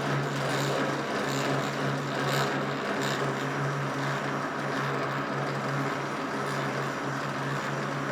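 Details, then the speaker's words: Old Rockwell lathe being restored, gears on light assembly oil and no grease yet, after several rounds of gear mesh adjustment: even drone with a light regular gear whir and no grinding; this setting was the quietest. Normal gear mesh. "adjusted this several times and this was the last time that I did it and it seemed to be the best because it was the quietest so I left it at that"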